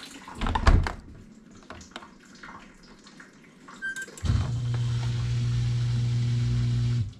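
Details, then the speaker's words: GE GDF520PSF6SS dishwasher drain pump after removing a plastic chunk that caused grinding, cycle cancelled: clatter, then a steady low hum with rushing water into the garbage disposal, no rattles; tub empties, pump working normally. "out I hear it pumping into the garbage disposal [Music] and I think it is empty so let's open it up and check it out"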